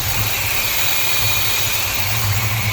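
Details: 1953 Chevy truck, fast idle tied back with aluminum welding wire because the choke is unhooked: low steady idle with a smooth unchanging rumble and light hiss, no hunting or racing. Runs normally.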